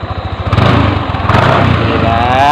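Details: First-generation Yamaha NMAX with conventional starter, after fixing a fuel pump that would not hum and reassembling, no injection warning light: even single-cylinder idle with a brief throttle blip. Normal, healthy running.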